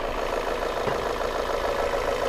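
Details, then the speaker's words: Volvo S40 engine at idle after a new collet clamp sealed an intake air leak; it had misfired and run rough with MAF and lambda codes. Now smooth and steady with no hissing or hunting, though a faint tapping remains, cause unknown. "запускаем мотор вот ну и сейчас он работает гораздо ровнее никаких подсосов в этой области"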